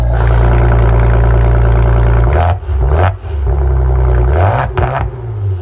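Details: Maserati Ghibli exhaust after a fix for a valve-gap rattle: deep, smooth drone rising and falling cleanly through throttle blips with no rattle; sounds healthy.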